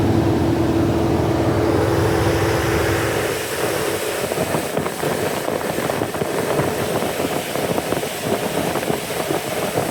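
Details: Petrol engine idling just after a start in about 100-degree ambient, so not truly cold: an uneven, stumbling beat from a cylinder 2 misfire.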